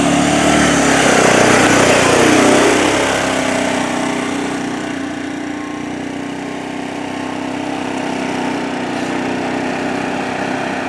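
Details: 2007 Arctic Cat 400 ATV after carburetor cleaning and spark plug replacement: revs briefly then settles into a steady, even idle with a constant tone; normal, healthy idle.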